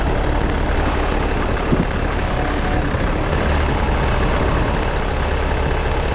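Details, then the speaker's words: Case 188D diesel backhoe tractor with a reinstalled injection pump: a loud, steady rumble with no knock or stumble, later showing good oil pressure and water temperature after a four-mile run; normal running. "it's alive it's alive it runs it runs it runs good everything sounds good everything's working good"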